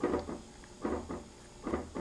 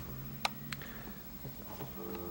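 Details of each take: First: Marco CP 690E eye-chart projector after re-soldering a replacement C4 capacitor: short mechanical clunk pairs about every 0.85 seconds as it responds to each acuity-slide press on the remote. Normal slide change. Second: Marco CP 690E eye-chart projector, dead: no light and no response to the remote, only a low steady hum with a few clicks. A failed C4 capacitor on the circuit board, fixed by re-soldering a replacement.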